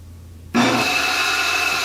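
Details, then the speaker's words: 1940s Delta 14-inch bandsaw motor, first test after rewiring (0.6 ohm winding), clamped down and run briefly: switches on cleanly into a steady, even hum with no grinding or rattles; runs very well. "wow holy crap does that run good"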